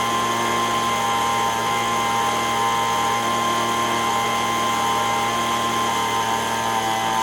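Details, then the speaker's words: Echo ES-210 handheld two-stroke leaf blower, about 15–20 years old, after repair of RPM surging: high steady full-throttle scream with no hunting, about 7,100 RPM (target 7,000–9,000); normal. "so now that we know that it's running and it's not doing the fluctuation behavior like it was before, I'm going to hook up my digital tachometer here again and see if I can tune it to within the 7,000 to 9,000 RPM."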